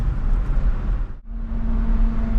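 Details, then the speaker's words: First-generation Toyota Tundra on the road: strong pull under throttle, firm clean gear changes, engine runs great and shifts hard; a separate hum at speed is suspected to be a CV joint, not brakes. "engine runs great shifts nice shifts hard like good hard"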